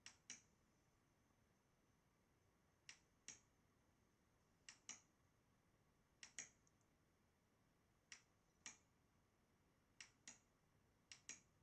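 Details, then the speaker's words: Model Racing Supershot arcade boardset from Italy: only sharp paired lamp-relay clicks when a target is hit, in near silence with no sound effects; the audio PCB supply reads under 1 V instead of 11 V. "But we cannot hear any audio effect from the speaker. So that will be the next thing to troubleshoot."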